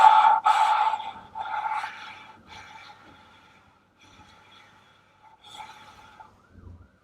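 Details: VW T4 2.5 TDI (ACV) cylinder head: valve lapped by hand with grinding paste, short scratchy gritty rasps as the valve is twisted back and forth on its seat.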